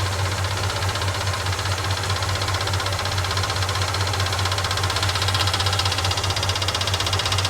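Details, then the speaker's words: 1969 Ford F100 Ranger first start in years, idling with a loose, uneven ticking clatter from the mechanical fuel pump, judged too loud and not working right; factory-style replacement ordered; noisy mechanical fuel pump. "Okay, this pump is ridiculous. Okay, that pump is too loud. It's not working right."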